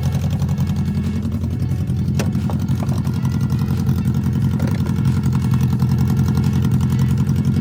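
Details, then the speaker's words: BMW K100 motorcycle jump-started after a dead battery (a new lithium battery was bought): low, even burble at idle for eight seconds with no knocks, misses or ticks; healthy idle. "But yeah, I just needed to jump to get it up and going again. Man, does that sound good."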